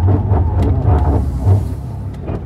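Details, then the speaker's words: BMW E30 turbo M52 after a drive, slow manoeuvring in a parking lot to hear the LSD: squeaking, irregular clunks and bangs every half second with grinding; limited-slip differential suspected abnormal, unconfirmed. "Lot of squeaking.. And some banging and grinding. I don't think it should sound like that."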